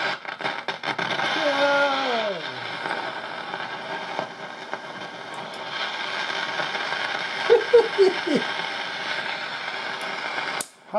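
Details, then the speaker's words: Philco tube radio, garage-stored over 20 years, after replacing an open 14B6 tube: constant hiss with sweeping squeals and crackle from the speaker, blamed on IF transformers whose moisture-damaged internal capacitors leak between grid and plate. "now when you hear noise like that coming out of the speaker there is one cause of that and that bar is these high F transformers and what happens is the moisture gets to the little condensers that are in them"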